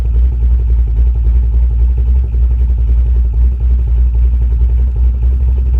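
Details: Camaro V8 with newly installed Summit Racing Max EFI-500 fuel injection, IAC-controlled idle (was about 900-970 rpm carbureted): deep, choppy big-cam lope with slight speed wander; runs fine.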